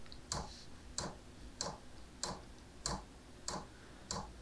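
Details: Diesel heater powered by a converted ATX computer power supply at 12 V, at start-up: crisp, even ticks about 1.5 per second over a faint hum; the dosing pump is clicking normally.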